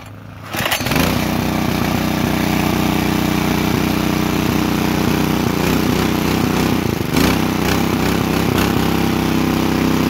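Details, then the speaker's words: Portable petrol water pump with a small single-cylinder engine, drawing from a well on 1 litre of fuel: starts after a brief pull and runs at a steady, even fast beat with no stumble or surging, giving strong water flow; healthy running. "kita lihat di sini cukup kencang airnya yang keluar"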